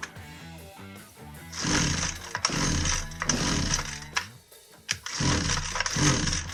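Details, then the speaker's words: Husqvarna 122C string trimmer with a won't-start complaint, catches in short rough bursts that die off between pulls, ignition cutting on and off; suspected failing ignition module, kill switch circuit also possible. "We confirmed the customer complaint that it won't start, and if you notice there, it acted like the ignition was cutting on and off."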